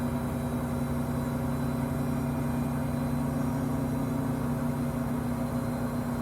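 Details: Five-month-old Samsung 2023 WW25B6900AW/A2 front-load washer buzzing since the first month at about 70 dB, loudest when draining with no water; constant low, even buzz with steady pitch and no rhythm, cause not pinned down.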